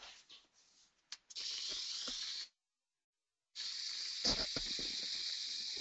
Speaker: you'll probably hear this is a little louder on a bad bearing you can actually see these fault frequencies that are related to each other